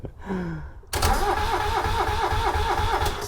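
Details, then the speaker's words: Subaru Sambar kei van engine, sat in a field 25+ years, being revived for a short kei truck build: starter cranks steadily at about three pulses a second but never catches after brake clean down the hole; no start, spark check next. "Nothing yet. All right. I'm going to take these plugs out and check for spark."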